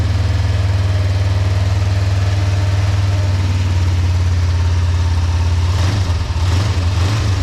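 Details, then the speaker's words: 2005 Kawasaki Ninja 500R twin, sat 10 years, after new carbs, tune, synchronization and oil change, warming up: steady even low thrum at idle, no misses, knocks or ticks; smooth, healthy, very happy bike. "Yeah, it's a very happy bike. Very happy bike. So I'll let that run for a minute. Let everything get all nice and warmed up before I turn it off."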